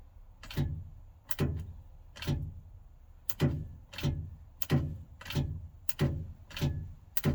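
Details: Repeated single clunks about once a second each time the key is turned, with no cranking or engine catching; starter not engaging, owner suspects a bad starter, unconfirmed; single click, no crank.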